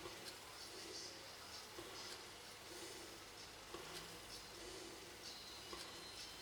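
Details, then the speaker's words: Sony TC-755 reel-to-reel tape recorder, after refitting the head cover, playing and then at the lower speed: quiet, even tape hiss with faint soft ticks, no wow, scrape or squeal; transport running normally (an occasional chatter remains to be checked). "That sounds about right. Right. Let's drop the speed. See if it runs off. does. Right, that seems to be okay."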